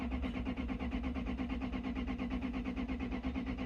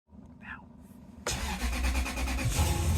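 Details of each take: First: 1996 Lexus LS400 (UCF20), died on the road sputtering as if misfiring, cranked during a fuel flow test: even cranking at about three compression beats a second for nine seconds, never fires; no fuel delivered at the disconnected line. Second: 1996 Lexus LS400 (UCF20, second generation) after fuel pump replacement fixing crank-no-start: cranks briefly, catches cleanly, settles into steady even idle with no stumble or miss. Normal start and idle.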